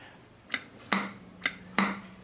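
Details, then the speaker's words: 1968 MGC SU HS6 carburettor after service and re-centring: four crisp taps as the piston is lifted and dropped, solid thud each time, no drag; needle no longer binding in the jet after correction. "okay so now when I lift up on the piston and and drop it you can tell there's a thud where it hits there's no binding in the jet the needle isn't binding against the jet"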